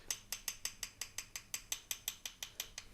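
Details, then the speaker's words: Mercedes SLK32 AMG (R170), worn steering center link worked by hand during replacement with new control arms and tie rods: crisp light ticks about five times a second; worn steering link joint ticking. "And then right over here, this is the bad boy. So if you see how hard that one is, let's go to this girl. You can even hear the ticking."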